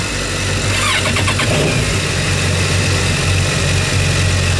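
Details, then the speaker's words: New 2015 Yamaha 242 Limited S boat with enhanced engine-compartment sound insulation, both motors started with the hatch open; quick start and steady, even idle with no knocks or rattles, coupler slightly less noisy. "all this sounds about the same you can tell a little difference in the coupler it's not quite as noisy but otherwise about the same"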